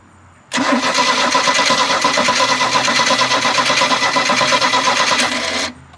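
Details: 1986 Larson 17 ft ski boat with cammed 4.3L engine, freshly filled with Rotella 10W30, trying to fire up: cranks in a steady rapid rhythm for about five seconds then stops without catching; known for a rough, lopey idle.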